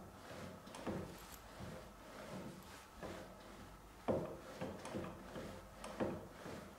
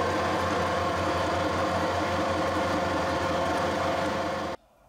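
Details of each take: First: Harrison 140 lathe with ATF in the gearbox, clutch moved by hand: irregular hollow clunks about every two seconds; something loose, cause not yet found. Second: Harrison 140 lathe headstock at low speed, about 220–240 rpm, after adding spindle bearing oil pump, 75W90 oil, about five degrees: even, steady mechanical whir, no knocks or grinding; oil reaching bearings, running healthy.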